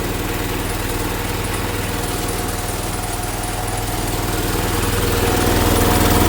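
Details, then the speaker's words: 1980 John Deere 216 being restored, running on a cold morning, possibly not charging: a heavy, labouring low thump about four beats a second, straining to run; owner plans to reset the high idle jet, cause unconfirmed. "It is running like You hear that? It's straining to run."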